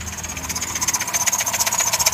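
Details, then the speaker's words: RMP 3.8 L replacement engine in a 2005 Dodge Caravan, knocking the morning after a 750-mile trip each way, no overheating or oil loss; a sharp, rapid steady knock over idle from deep in the bottom end, cause unconfirmed. "so the engine is a rmp engine and anyway so the engine has a severe knock in it this is the engine over here it has a severe knock"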